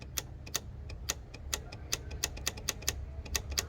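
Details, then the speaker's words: 2010 Ford Fusion Hybrid (P2450), new evap vent solenoid bench-tested with direct power: sharp, crisp loud clicks about four a second over faint hiss; the solenoid snaps open and shut properly, a working unit. "I'm gonna go ahead and test it, and I'm gonna go ahead and, you should hear a loud click."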